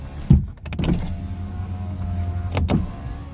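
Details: Nissan 370Z after battery replacement: steady power-window motor drone as the glass travels fully, with clean stops at each end after the auto up/down reset procedure; window works normally.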